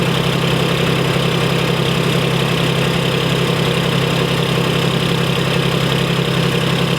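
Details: Idle of a 1991 Freightliner FLD120 with a Detroit Series 60 diesel, unstarted since last July and started on fresh batteries. Loud low idle with fast, even thumping near 220 a minute and slight unevenness; a bad injector makes it run rough, so the run was kept short.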